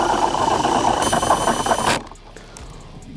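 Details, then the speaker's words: Cordless drill in gear 2 spinning a paddle through water on a test rig, accidentally left in screw mode: motor whine under load with a rapid rattling click, then it stops. The torque clutch is slipping. "I put it onto screw, not onto drill. So that's why you could hear the clutch giving it some then."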